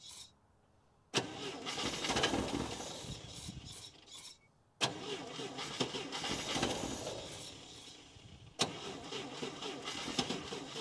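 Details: International Scout 80 (1963–65), sat over 10 years: after a jumper wire gave full 12 volts, three cranking bursts each catch briefly then die within seconds; fires on starting fluid but won't keep running.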